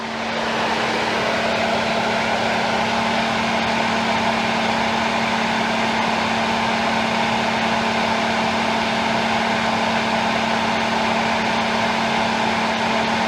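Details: 2013 Ford F-150 running with A/C on, high-speed cooling fan kicking on: constant mid-pitched whine over engine and fan hiss from the failing A/C compressor, due for replacement.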